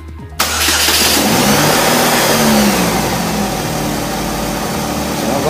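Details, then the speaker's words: 2008 Chevy HHR with replacement 2.4 Ecotec block and 2.2 cylinder head, after reconnecting the power brake vacuum line that caused a whistle: quick start, smooth rev and steady idle, no whistle or hiss. Normal start and rev. "Looks like it's running pretty smooth. Rev it a little bit. Let it idle."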